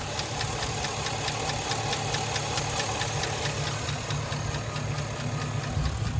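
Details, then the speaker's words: Gen 3 5.3 LS V8 without DOD/AFM, quiet cold but ticking after 10–15 minutes fully warm; heard from underneath on the driver's side near the rear cylinders: fast, even light tick following engine speed. Suspected faulty lifter; lifters replaced. "laying underneath it on the driver's side and it definitely sounds like it's coming from like the back one of the back cylinders on the driver's side"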